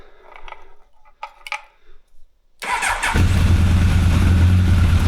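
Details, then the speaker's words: 1985 Honda CB1100F, sat 20 years, after a carb clean and new gas, restarted with no choke because the cable is broken; it catches quickly and settles into a steady, even low idle, a healthy start despite a fuel leak. "Starts right up. No problem."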